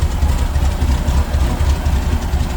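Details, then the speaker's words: '79 VW Super Beetle with new EMPI carburetor, cold with choke on: steady, slightly fast, slightly rough low thumping idle that should smooth out as it warms; cold fast idle on choke. "the joke is running right now as soon as the engine warms up it'll back off and it'll run a little smoother"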